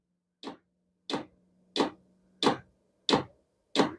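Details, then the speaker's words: Vevor diesel heater after one year of shop use, run off a Milwaukee M18 battery, at startup: evenly spaced sharp clicks about 1.5 per second as the fuel pump primes the burner; normal. "There's the click. Now you can hear the pump kicking in. As it gets running quicker, the pump will move quicker or it'll pump quicker."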